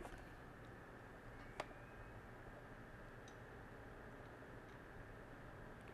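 Soft, even whir with no tapping or clicking, just one faint tick; the drive spins quietly and sounds healthy.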